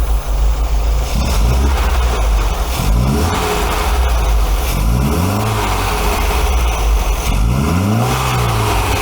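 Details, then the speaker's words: 1980 MGB four-cylinder, twin carburettors just balanced after fixing throttle linkage where the front carb moved first, after head gasket replacement and timing: engine idles then blips up cleanly and drops back smoothly, both carbs pulling together; normal revving. "okay so now that the carbs are balanced we can actually set about tuning them because um obviously if they're not in balance you're never going to be able to tune them"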